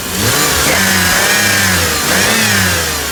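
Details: 2007 Pontiac G6: high squeal that climbs and falls with each rev and quiets at idle, worst on acceleration and at cold startup; owner suspects a leak at the back of the engine, the tensioner pulley or the intake manifold gasket; finding exhaust leak.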